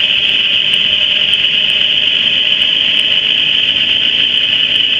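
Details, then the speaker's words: 2013 GMC Terrain driving with front whining/roaring noise, traced with chassis ears: steady piercing high whine over road rumble, loudest on channels clamped to the transfer case and its axle-side bracket; transfer case whine. "uh clearly the L loudest from the blue and the white the blue was hooked to the uh this here transfer case and the uh White was hooked to this bracket that hooks to this transfer case here at this axle"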